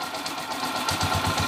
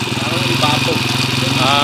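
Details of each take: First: Honda TMX155 motorcycle engine after repair of noisy clatter; now settles into a steady, even idle with no stumbles or hiccuping, running quietly. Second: Honda TMX155 motorcycle at idle, noisy despite four mechanics and two timing gear replacements, also hiccuping: loud, clattery idle with rough mechanical rattle over the exhaust beat.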